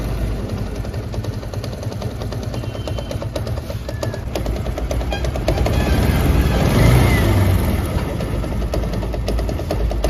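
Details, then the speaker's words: TVS Apache RTR 160 BS4 single-cylinder at idle: loose metallic rattle about three times a second that eases with revs and returns off throttle; bike also gives white smoke; engine opened, cause a loose gearshift shaft bolt. "जैसे मैं race बढ़ाता हूं तो आवाज कम हो जाती है और रेस छोड़ते ही आवाज बढ़ जाती"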